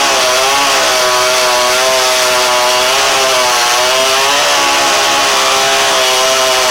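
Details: 49cc dirt bike two-stroke on a makeshift rigged carburetor, with a proper carb still to be ordered: high, raspy buzz whose pitch drifts up and down without settling; uneven running.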